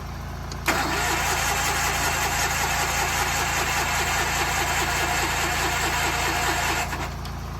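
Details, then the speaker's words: Massey Ferguson 205-4 tractor after fuel-pump diaphragm cleaning and carb rework: steady cranking at about four turns a second for six seconds, never catching; no fuel yet put back in the carb bowl. "well it is running but it doesn't seem like it's pumping fuel so let me pull the top of that car back off and see if there's fuel in the bowl"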